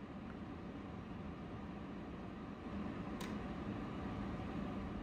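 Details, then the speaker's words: MRCOOL DIY 3rd Gen mini split heat pump, indoor unit in a shop after 15 months of use, full blast air conditioning, about its loudest: soft, even airy rush with faint low hum, no rattles or ticks, normal fan operation. "let's fire her up and this is about as loud as it gets full blast while air conditioning"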